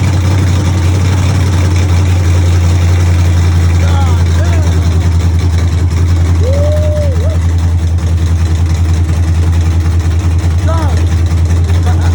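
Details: Chevy truck with cammed 5.3 V8, Texas Speed 232/234 cam on 110 LSA, first start-up after wiring and ground fixes: deep heavy rumble with an uneven loping beat around two or three pulses a second; idling normally.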